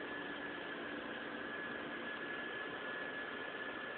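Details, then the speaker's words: Audi A6 4.2 at cold start, also surging near stall on startup: steady, constant-pitch high whine over a smooth cold idle, lasting about a minute until warm; cause unknown. "the second problem is a strange wine on Startup over the window so you can hear it [Music] that's the startup"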